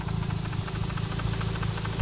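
Rotary idling with a light, quick, steady tick riding over the low rumble, typical of a sticking secondary shutter valve.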